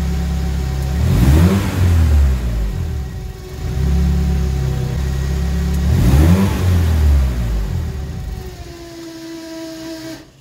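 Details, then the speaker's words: SR20DET turbo engine in an Escort, nearly at operating temperature, revved over 3,000 rpm: speed sags and it stalls within seconds even after cleaning sensors; the cause is turbulence from the MAF sensor mounted too close to the turbo. "still doing it after all that cleaning of sensors the issue ended up being I didn't have enough distance between the math sensor and the Turbo so I was creating some sort of a turbulence and apparently that's a common issue"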